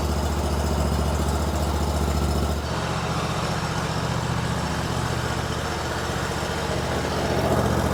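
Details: Kohler-powered Hustler Raptor SD mower after tune-up (new spark plugs, air filter, fuel filter, oil change): steady idle with an even low thump, no misses or knocks; normal idle.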